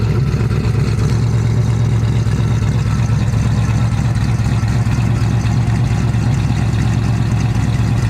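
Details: Nova with basically stock-bottom Chevy 350, Vortec heads, LS6 springs, Comp retainers, Comp 280 Magnum cam (.230 @.050, .480 lift), after cam swap, running/drive-by: deep steady V8 rumble, slightly lumpy, no knocks, ticks or rattles; healthy.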